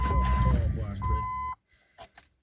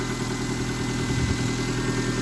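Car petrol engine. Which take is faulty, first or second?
first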